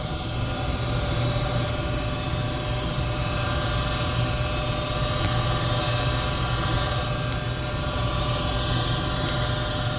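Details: Goodman 95% AFUE gas furnace, first full startup of the heating season: the burner lights into a steady, low roar with an even hum and no pops, surges or rattles, firing normally.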